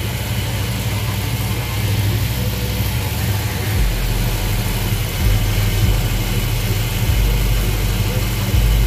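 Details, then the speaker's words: 350 V8 truck at a rough idle during running valve adjustment; a light tapping from a loose rocker rides over the rumble until it is tightened a quarter turn, after which the engine runs quiet with no tapping. "y'all hear it tapping be careful hear it tapping okay turn it like this we got it tight quarter turn stop"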